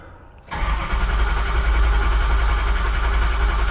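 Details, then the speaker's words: Used 6.0 Power Stroke diesel swapped into a truck, cranked on a jump box during a relative compression test before first start: steady, even chug about three to four beats a second; test shows cylinder 2 good, cylinder 7 low. "cranky Rhythm sounds pretty good this will tell us for sure though if it's any good"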